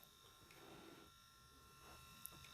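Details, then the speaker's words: Panasonic Arc 5 shaver in its automatic cleaning station: faint steady hum with soft gurgling and light ticks as the system pumps water mixed with detergent through the shaver, a normal, fairly loud cleaning cycle. "That's like the system shooting the water mixed with the detergent through the machine. It's pretty loud."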